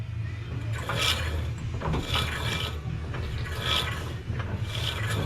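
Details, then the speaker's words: Dry scraping rasp about once a second as the driveline turns slowly on a turbo, 6-speed swapped, IRS S10 just after a test drive. It is a ring rubbing at the front of the differential. "I found the noise. It's that ring around the front of the diff."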